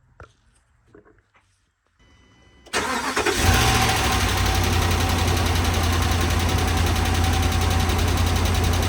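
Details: 2013 RAM 1500 5.7 HEMI V8 after a previous owner's cam and lifter replacement: steady idle with a light tick about four a second from the passenger side; improperly installed pushrods and rocker shafts damaged them, fixed with replacements.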